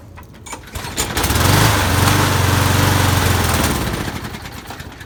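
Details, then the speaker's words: Lawn mower starts, runs briefly at a steady rhythm, then fades and stalls unless primed; fuel starvation at the carburetor, later traced to clogged channel holes in the float bowl bottom bolt. "i headl turn on and then I have to keep priming it to keep it running so I think there's something wrong with the carb possibly not enough vacuum to pull fuel"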